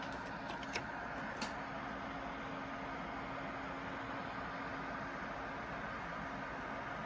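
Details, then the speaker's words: ACMEMATION 120mm 4-pin PWM PC case fan (2700 rpm max) at full speed. A steady, even rush of air with a faint constant hum and no ticking or rubbing: the fan is running normally. "And finally at full speed. Oh yeah, it's really moving the paper now."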